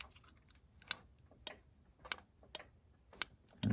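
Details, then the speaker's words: Yamaha golf cart brake-light relay, a 4-pin unit with one pin unused, in the engine compartment. Crisp, irregular clicks about twice a second as the brake pedal is pushed on and off: relay engaging normally. It has an off-delay timer feeding 12 V to the brake lights. "This pin is not used, and so but when you press on the brake, you can hear the relay engaging."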